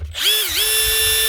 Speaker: that's her one Makita DTD 154 brushless impactor with a new front gear casing and the old one the actual needle bearing built into it that holds the butt holder failed so replace the needle bearing